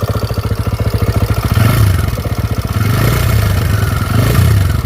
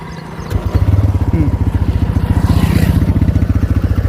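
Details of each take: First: TVS Raider motorcycle warmed up after about 10 km, idling with a fast "kit kit" tappet ticking over the thump that grew louder once hot, from valve tappet clearance. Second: TVS Raider motorcycle after service-centre repair: starts and settles into a steady, even idle thump with no tick-tick; the ticking near the tappet/piston, formerly loud after 10 km, is gone after 30 km.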